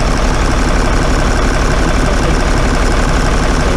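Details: Cummins 6BT in a bus, warmed up a little, loud diesel idle with an uneven, stumbling beat of about three pulses a second as one cylinder seems to drop out; hard starting, low power and heavy smoke, injector being checked, air in fuel suspected after a lift-pump problem.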